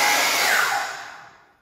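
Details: High smooth motor whir winding down evenly to silence, no grinding or rumble, from a DeWalt DW717 miter saw; motor sounds healthy.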